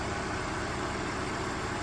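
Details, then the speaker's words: Manual E46 BMW 325Ci inline six, sat about a year or two, instrument cluster not working: starts right up and holds a steady, even, smooth idle with no knocks, misses or hunting; normal idle. "yeah it just runs so smooth it is insane how smooth this engine is"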